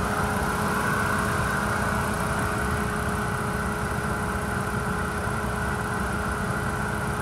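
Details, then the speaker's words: Car with 96,900 miles, warm after about 30 minutes running with no overheating: smooth, even idle with a steady hum and no knocks, ticks or misses; engine sounds healthy. "sounds good on idle motor sounds good when you're rev and transmission engages"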